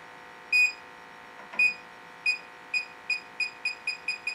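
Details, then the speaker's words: Electronic detector near the vent on a Rheem furnace gas valve: high beeps quicken to rapid chirps, lights climb to danger; technician notes electronic detectors false-alarm and plans soap bubbles to confirm any leak. "see how it goes off and makes all the no these little lights go all the way up to the top right there saying danger danger"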